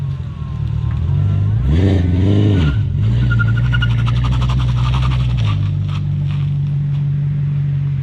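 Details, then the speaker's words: BMW E39 540i driving: steady low drone rising and falling with road speed, with rough tire scrubbing strain underneath, tires spin while idling around parking lots. Rear differential totally locked, binding. "what we have here is a diff that is tea totally locked here it's really not that bad once you get going you do get some strange looks in a parking lot though"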